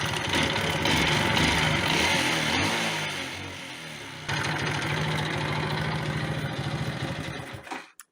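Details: Alpha moped that started but wouldn't rev and stalled; coils and generator swapped without fix, now running through the wiring of a working bike. Putters unevenly, rising and sagging, then cuts out; owner concludes faulty wiring harness needs replacing.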